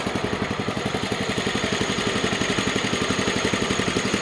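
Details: Kohler K141S single, push-button start with a little choke, which had shown only 7–8 volts from a bad ground: fires straight up into a crisp, even idle at about four beats a second, steady with no stumble.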